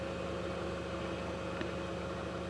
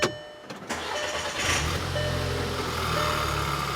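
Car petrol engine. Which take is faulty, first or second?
second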